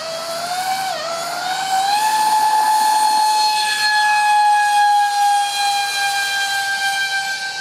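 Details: RC Su-35 ducted fans with 5-blade rotors and 2600kv motors on 6S, before repair: a piercing whistle climbs and holds high with a rough edge; vibration from cheap shaft adapters and detached mounting pads, later fixed with WeMoTec shafts and epoxied mounts.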